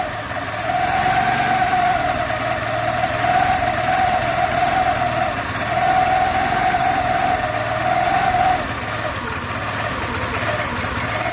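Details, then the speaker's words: Scooter with newly installed clutch, idle just adjusted down, enricher coming off; small engine idles steadily with buzzy tone wavering every second or two, a little rough but holding idle: slightly rough idle. "a pretty good idol i mean it's a little rough but it is idling"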